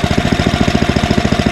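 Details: Ariens ST1128 28" two-stage snowblower, 11HP Tecumseh Snow King engine, on a cold day, after pilot jet cleaning fixed the surge: quick, even single-cylinder firing, no hunting or surging; runs perfectly.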